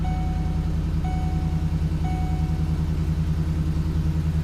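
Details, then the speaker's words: Ford 5.4 3-valve Triton V8 truck just after roller follower replacement, first start: smooth, even idle with no ticking, a chime sounding three times; small exhaust leak expected to clear up, AC turned on full blast. "Little exhaust leak. It'll clear up soon. Turn the AC on full blast. Rear tube. Alright. So far it sounds good."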